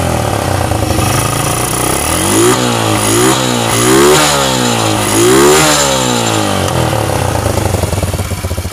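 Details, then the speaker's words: Honda Revo Absolute motorcycle after engine rebuild: four clean blips rising and falling smoothly, no knocks or rattles, engine stays smooth; healthy revving. "Oke Guys meskipun mesinnya kita geber-geber dengan e RPM tinggi namun mesinnya tetap halus e suaranya berarti kalau mesin ini telah Oke telah mantap"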